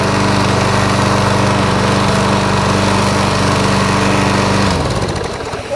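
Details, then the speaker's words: John Deere mower with a 109 cc Briggs & Stratton non-overhead-valve engine, starts on one pull; steady, even drone at constant pitch with no knocking, then winds down smoothly at shutoff. Normal running. "Yeah, one pull. Don't knock, which is nice."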